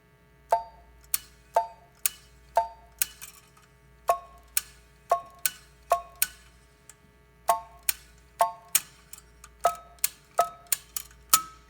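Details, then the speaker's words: Western Electric prototype 10-button 302-style push-button phone: each key gives a sharp click and only a brief, faint two-note beep that dies at once. Tone very weak; failed component or original behaviour unknown. "I will press the buttons and you will hear the tone. The tone is very weak, so we don't know the status of that, if there's a failed component in the phone or if this is how it operated in its day."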